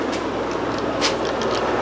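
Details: Old Fluval FX5 aquarium canister filter before cleaning: loud, steady rushing and gurgling with no letup as it draws in air past a cracked canister gasket.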